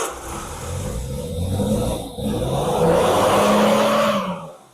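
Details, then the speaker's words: 1969 Triumph Vitesse, first start in about 2 years, fitted with new plugs, choke on and some fuel: it catches easily, runs lumpy and uneven for a few seconds, then dies. The owner thinks it had too much choke. The throttle cable is badly frayed. "Too much choke, I think. Wow, that started easy."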